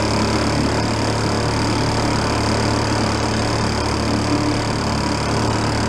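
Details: 1937 Sears Water Witch 2.5hp outboard, 83 years old, revived after about 60 years in a shed: steady drone with constant low hum under load, no misses or knocks, getting warm; normal running.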